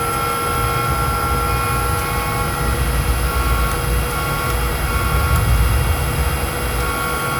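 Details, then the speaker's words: Old AMD Radeon HD 8490 GPU fan from an Optiplex, not spinning on its own and barely starting only under stress at its temperature limit: steady rough whir with thin whining tones, a dry bearing needing grease. "Then the fan will barely start and then make this kind of noise."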